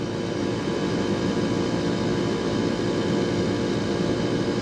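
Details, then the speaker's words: AC service call on the second-floor system: a compressor that had been unplugged after freezing up, low standing pressure and a leak in the evaporator circuit; while refrigerant is added (suction 81, superheat 48), the steady droning hum of the undercharged compressor improves as return gas increases. "I know I'm really low. There the compressor is starting to sound a little better right now. You hear the change in the sound of that compressor?"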